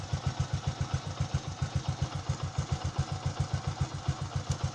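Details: Motorcycle with a hard-start problem, fixed by correct spark plug gap and carburetor air/fuel mixture adjustment: steady, even low thumping at nearly four beats a second, no misses; clean, healthy idle.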